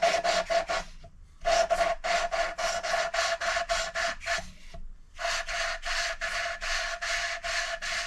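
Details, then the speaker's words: Hand-lapping an engine valve with coarse paste to remove light pitting on the seat: steady, gritty rasping strokes about four a second. The seat is not yet uniformly mated, so more coarse lapping is planned before moving to fine. "So I think we need one more go with the coarse, and then we'll give it a couple of goes with fine, and then probably done."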